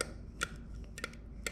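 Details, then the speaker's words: House well pump next to a leaking pressure tank: a few sharp, irregular clicks from the pump's contactor over a low steady pump hum; the cause is unclear. Intermittent clicking. "so here's the pump she's a big gun and it's got that I left a little air still attached you can hear it it just does a little contactor in there"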